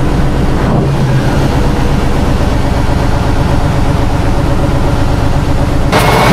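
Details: 1976 Tatra 813 V12 truck, restored after 20 years unused, exhaust sound: deep heavy rumble held fairly steady with a brief blip near the end, no knocks or misfires; normal revving.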